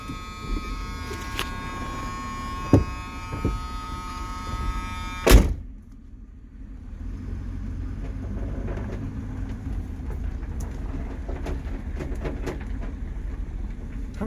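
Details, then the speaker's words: 1978 Mercury Marquis Brougham 400 at a slow roll after a new fuel pump and filter. Low rumble with irregular knocks and clatters from the rear, loudest over bumps; owner suspects something hitting inside the quarter panel or debris dragging: rattle while driving. "sounds like something's hitting inside this quarter panel when you're moving but maybe it's this stuff dragging the road or something"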